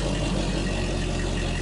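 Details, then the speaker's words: Mercury 300 Pro XS fuel-injected outboard on a 2020 Triton 216 Fishunter, just started cold, with no choke or fast idle; the computer warms it up. Low, steady, even idle with no misses or knocks, normal. "So what's happening now is there's no choke or fast idle that you'd want to do with this. This is fuel injection, so you want to let the computer warm this engine up."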